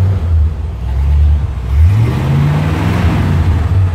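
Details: 57 Chevy convertible V8 with over 250,000 miles, after sealing an exhaust manifold leak on one side that had caused clack at idle: deep, even rumble that climbs smoothly on a short rev and settles, with no ticking or puffing from the exhaust, sounding healthy.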